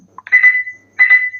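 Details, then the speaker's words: SSBRIGHT Avenger SG-13B Bluetooth speaker, switched on and not yet connected to a phone: two short high-pitched beeps about 0.7 s apart sound automatically every few seconds; spurious repeating beep, battery not suspected, cause unconfirmed. "अभी मैंने इसको phone से भी connect नहीं किया हुआ है और इसमें इस तरह का बीप साउंड आ रहा है। यह आप सुन सकते हैं। यह ऑटोमेटिकली यहां पर कुछ सेकंड बाद यह ऑटोमेटिकली बीप साउंड आने लगता है।"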